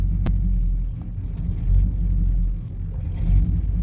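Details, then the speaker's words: 1991 GMC Suburban R1500 5.7 TBI V8 idling in drive: deep rumble sags below 500 rpm toward stall then catches as computer opens IAC; idle air control valve suspected slow and sluggish, to be tested and replaced. "And then once it hits below 500, the computer recognizes it, and what it does is it opens the IAC and it gives it a shot of fuel. That way it stays running."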